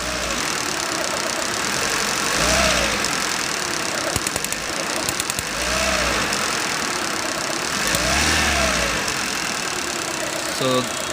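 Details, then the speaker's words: Suzuki Eeco in workshop, complaint of overheating and misfire: uneven idle with recurring stumble every couple of seconds; misfire traced to a bad ignition coil sparking against the body, to be replaced; overheating from leaking radiator. "found out that this ignition coil the one down there this one's bad so i'm going to replace that first sort out the misfire"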